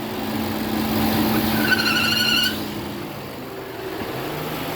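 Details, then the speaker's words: Opel Insignia A16XHT petrol engine at 160,000 km, idling: a high, thin whistle and hum that cut off abruptly, caused by a failed diaphragm in the crankcase ventilation (PCV) valve in the valve cover, not a roller or belt. "диагностируется клапан неисправность мембраны никакой это не ролик и не ремень"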